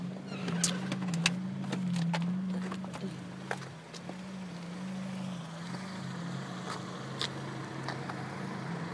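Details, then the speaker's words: 1990 Honda Prelude at idle with the idle gauge reading zero: low, uneven idle drone with irregular clicks and a soft pumping noise that seems to come from the intake area; cause unknown. Rough idle with pumping noise. "It's that little, it's like a pumping noise. I don't know what it is. It sounds like it's coming from over there in the intake area."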